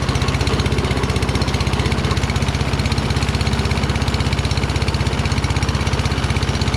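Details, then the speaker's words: Toro Recycler Kohler XT675 mower after a quick cleaning of debris from the carburetor bowl and pilot jet: slow, even chug of about four firings per second, with idle speed too low. The owner plans a throttle adjustment and suspects a faulty primer circuit. "well at least it started rpm seemed very low i think i have to screw with throttle"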